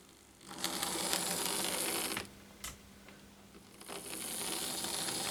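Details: Lima model locomotive after 3D-printed replacement gear fitted, test run on track: light, even whirring with small gear ticks, no grinding or catching; drive sounds fine.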